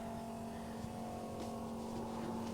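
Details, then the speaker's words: 1967 AMC Ambassador after fuel system repair, key in ignition, engine off: steady low electric hum at one pitch as the fuel pump primes normally before a start attempt; no leaks found. "I hear the pump I hear the pump okay before we attempt to start it it's going to take a minute to Prime"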